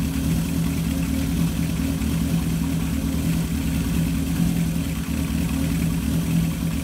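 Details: 1978 Kawasaki KZ650 C four-cylinder, revived after at least five years unused, just after carb balancing without air cleaners: steady even drone, smooth low hum, no misses; carbs balanced within about a quarter inch, runs clean.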